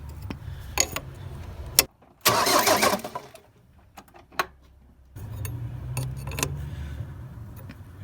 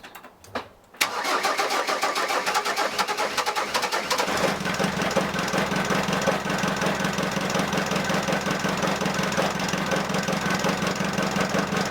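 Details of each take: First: Ford Transit 2.5DI diesel after inlet manifold cleaning, with the high-pressure fuel lines just primed. Starter cranks in steady bursts with pauses and it never fires; air in the injector lines may need bleeding by cracking the injectors. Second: Ford Transit 2.5DI diesel after inlet manifold carbon cleaning, EGR blanked, catch can fitted and high-pressure fuel lines bled. Brief cranking, then a steady idle with even diesel clatter; healthy start-up.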